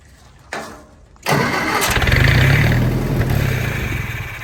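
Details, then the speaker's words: Willys-powered Army skid generator, primed, choke closed, air cleaner on: click then steady cranking about four beats a second with brief catches that never hold; tries to fire but won't run, owner suspects gummed-up carburetor. "don't tease me like that well we may just have a gummed up carburetor let's see well i see fuel or is that my wd-40 she's trying"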